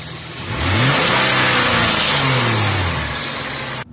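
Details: 2002 Hyundai Coupe (Tiburon) 2.7 V6: engine revved up and down twice, with a strange rough, hissy noise between 3000 and 4000 rpm from the left side of the engine. Source unidentified.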